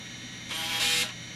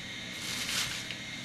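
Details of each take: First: MICATA MBVLSI-168 AMD 286 system during boot after CMOS setup: single brief crisp buzzing seek of about half a second, no grinding; normal floppy drive seek, hard drive empty. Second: MICATA MBVLSI-168 AMD 286 system booting from floppy: soft ticking broken by harsh buzzing bursts as the head seeks, drive unable to read the disk.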